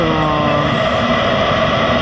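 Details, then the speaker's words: Second-generation Eberspächer Hydronic 5 kW water heater with fault codes 12 and 15, bench test without an exhaust muffler, after about 800 seconds heating a 90-litre tank: a steady, even burner roar with constant fan hum; running normally. "So the heater is running for a while now. It's about 800 seconds, so 12-13 minutes, and everything is fine."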